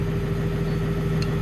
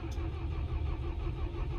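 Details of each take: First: Diesel plant machine with the original batteries back on: fires and holds a steady, deep, even idle with no stumble or clatter; it starts and runs as it should. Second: Perkins-engined diesel plant machine after 2-3 very cold mornings, fuel-related error codes E0000157-18: heavy, low starter churning that never catches; the mechanic suspects the fine Perkins fuel filter is gelled.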